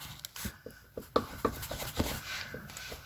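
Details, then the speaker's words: 1992 BMW 735iL E32 driveshaft rocked by hand: scattered dull clicks as play reverses in worn center bearing bushing, matching clicking heard while driving; owner suspects rear drooping after engine and transmission mount replacement accelerated wear; center bearing being replaced. "that's the kind of clicking sound I was hearing in the car, but louder."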